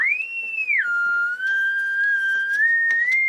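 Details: AWA R7077 beat frequency oscillator, circa 1943, before cap and resistor replacement: clean steady whistle tone sweeping down, settling, creeping up in pitch as dial turns; works, calibration doubtful, magic eye not fluttering.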